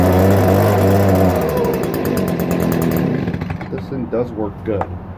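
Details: 2018 Stihl BG56C leaf blower, a backup unit: the two-stroke buzzes smooth and strong for three seconds before dropping back, with no misfire or surging; running fine.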